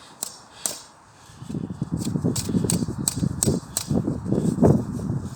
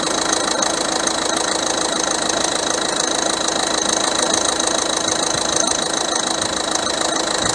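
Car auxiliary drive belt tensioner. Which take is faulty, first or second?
first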